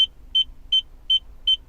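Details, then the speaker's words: Mercedes CLK 220: steady high beeps about three per second with the car in neutral, reverse lights on in neutral and off in reverse; the reverse beeper sounds in neutral because of wrong control module coding. "Oh, it's stuck in reverse. What on earth? So, in reverse at the moment, the reverse lights are off, but if we knock it into neutral, the reverse lights come on."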